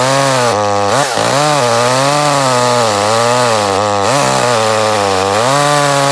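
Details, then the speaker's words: Echo CS-310 chainsaw, six or seven years old, cutting out at top rpm when warmed up and revved for eight months despite new air and fuel filters; screams at full throttle, stumbling twice; traced to the spark plug. "about eight months ago it just started cutting out on top in you know I've gone through it's just out of the blue just started especially when you want if you just warmed it up and revved it up he would cut out"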